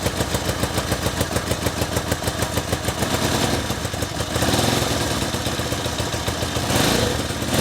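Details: 1964 Honda Benly CA95 150 twin, first run in 30 years after tank flush and new throttle cable; steady quick popping beat, then a rougher, busier run, keeps idling on its own; normal idle.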